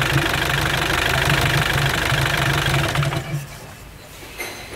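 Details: Mitsubishi L200 Sport GL diesel with oil filler cap removed: steady hard knock about three and a half per second at idle before shutdown, heavy oil blowing out; badly worn engine with heavy blow-by.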